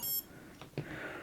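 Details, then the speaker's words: Quad build, 3S LiPo just plugged in, ESC not yet calibrated: short clean electronic beep from the motor, then faint clicks, including an unusual tone; normal ESC startup tones. "Tones and everything. Did you hear the different tone? It was weird."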